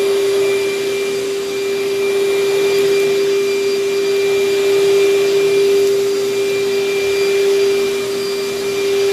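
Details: Vacuum with bag about a third full, belt well tensioned: steady even motor whine with smooth airflow rush; suction strong, running normally.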